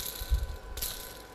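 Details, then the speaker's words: Original decades-old camshaft ball bearing from a K-750 motorcycle engine, spun by hand: dry gritty metal-on-metal rattle fading as it slows, bearing loose and wobbling; replaced with a new bearing. "О такий звук характерний метал по металу але йде але йде"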